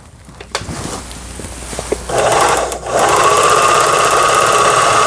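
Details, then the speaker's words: Toyota Grace 500 household sewing machine, about 25 years old and long unused, after repair: bobbin winding at straight-stitch setting 5 with handwheel released; steady, even whir with smooth rising tone, no knocking, winder runs normally. "지금 보시는 것처럼 북실만 오르락내리락 하면서 감기는 게 정상이 되겠습니다."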